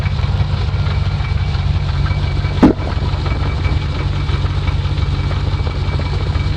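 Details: V8 idling with the hood closed: steady idle with a faint, uneven light tick and one sharper snap; source of the clatter unclear.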